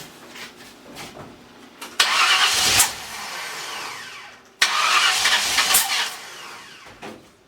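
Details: 302 V8 roller motor with new cam, just installed, first start attempts after moving plug wires one hole to adjust timing: two short cranking spells, starter churning with no firing; cranks but won't start, timing or firing order suspected.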